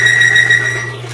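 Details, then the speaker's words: Lubricity test machine, part already galled and bound at 40–45 lb pressure, then sprayed with Lube 2000: pulsing high squeal about six or seven bursts a second over a steady low motor hum, galled surface chattering under load. "I spray it onto what's already been galled up and bound up, and it's already chattering because of all that sound from before."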